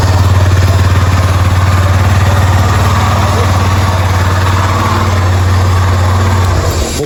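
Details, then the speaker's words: Yamaha Fazer 250 engine rebuilt with a new cylinder after an engine noise complaint: steady, even single-cylinder idle with a deep regular thump and no ticking, tapping or knocking; normal idle. "caraca mas ficou sem barulho nenhum mesmo incrível aí show de bola muito bom mesmo hein não tem um barulho ficou bom"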